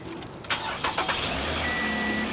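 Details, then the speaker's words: Flood-damaged push-start car: short crank, catches at once into smooth even idle with no misses or knocks; healthy start, check engine and traction control lights on, possibly a little water inside. "started right up i mean wow you got lights on the dash or what's going on"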